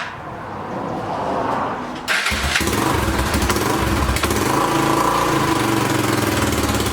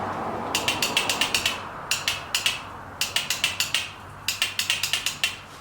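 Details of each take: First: 2006 Honda TRX300EX four-wheeler first start after carburetor cleaning, choke on, fuel off: cranks and catches within a couple of seconds, then a steady single-cylinder putter with a small blip; starts and runs fine. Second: 2006 Honda TRX300EX quad, on restart after carb cleaning the starter only clicks: four bursts of sharp metallic ratcheting about nine a second with no engine catching; failing starter.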